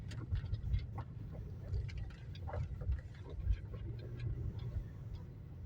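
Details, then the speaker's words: Chery Tiggo 4 at about 3,300 km, driven on gravel: irregular sharp knocks and clatter in the steering over road rumble, from a loose steering intermediate shaft (U-joint) near the pedals; fixed under warranty by tightening it. "Постукивает где-то в рулевой, а вот на щебёночке, я думаю, слышно грохот."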